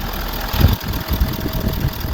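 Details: 2013 Ford 6.7 Powerstroke diesel after exhaust manifold and turbo replacement (complaint was a squeal under heavy throttle, suspected manifold): warm idle, steady low rumble, even injector clatter, no ticking or puffing from the manifolds; normal idle.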